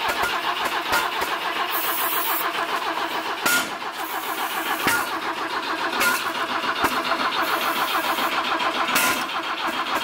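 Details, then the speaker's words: BMW E21 being revived, recorded close at the exhaust with brown muck blowing out: starter churns at an uneven beat with a few half-catches, never fires and runs; crank no start. "so we handle this nasty brown stuff firing out of the exhaust while we were trying to crank it I don't know what effect that has on the car actually firing up"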